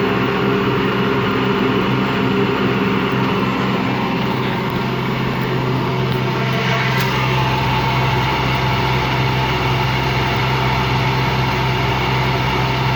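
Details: Washing machine run empty on rinse and spin: low steady rumbling growl with droning hum, never reaching full speed; drum not loose, owner suspects worn motor or drum bearings.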